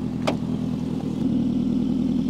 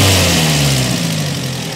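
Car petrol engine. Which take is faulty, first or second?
first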